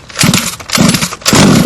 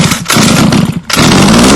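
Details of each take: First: HPI Baja 5B two-stroke on 87 octane premix, primer bulb filled and choke on: three quick pull-start bursts with a brief raspy buzz as it catches on choke, as it should. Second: HPI Baja 5B two-stroke buggy on 87 octane premix, climbing a hill: high buzzing engine note that drops in pitch and wavers under load, struggling to pull cleanly. Bogging; needle valves said to be finicky and need tuning.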